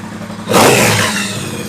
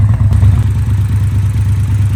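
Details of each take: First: Triumph Bonneville Bobber 1200cc twin, rough running fixed by replacing slightly cracked spark plug caps: idle rises into a sharp, clean rev and falls back smoothly without bogging or stumbling; running healthy. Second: Triumph Bonneville Bobber 1200 twin at idle: lumpy, uneven low beat with occasional stumbles; an undersized, cracked spark plug cap arcing to the engine stops spark reaching the plug, causing a misfire; fixed by replacing the caps.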